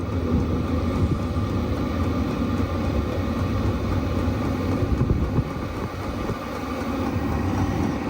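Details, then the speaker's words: Chinese diesel heater, first startup after priming: steady even low roar of the lit burner, no popping or surging, exhaust slightly warm, burning normally. "oh that sounds like a burner noise well it's burning out slightly warmer I wouldn't say hot"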